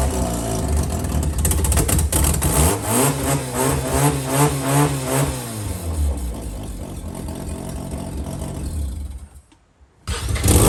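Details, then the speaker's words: JDM Haruguchi Mazda FC RX7 rotary after storage, new battery, fresh 98 petrol and fluids: fires, revs up then falls, settles to a smooth steady idle; starts and runs properly. "Hell yeah. So there you have it. FC's running, going. Should be good to drive as well."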